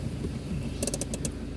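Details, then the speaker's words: Chevrolet Tavera on test drive: about five quick high creaks over road rumble when braking, from the rear drum; rear brake liners adjusted tight and dragging, moisture noted, nothing else wrong; rear drum brake creak from dragging shoes. "നമ്മൾ break ചവിട്ടുമ്പോഴേ പുറകിലത്തെ ഡ്രമ്മിൽ sound കേൾക്കുന്ന കേട്ടോ. Liner കൊണ്ട് കിടക്കുന്നുണ്ടാണ്, വേറെ പ്രശ്നമില്ല കേട്ടോ."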